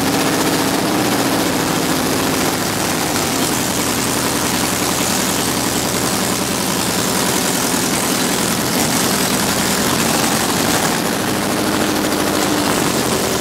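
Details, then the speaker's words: Corvette V8 on first startup after its rebuild, running on open headers: loud, uneven, rough rumble held steady around idle, no clear knock. "That sounded fucking scary, dude."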